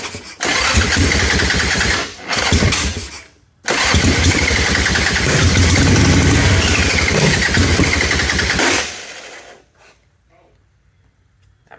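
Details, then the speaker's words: Ironhead Harley Sportster V-twin, backfiring through the carburetor, with the Keihin butterfly carb refitted in place of a knockoff S&S: it catches, stumbles and dies, then restarts and runs lumpy; owner suspects timing or valvetrain, and valves later needed slight adjustment. "sound good at all dude I think something's up inside the bike I've got a timing issue or valve Trend I don't know it doesn't make sense"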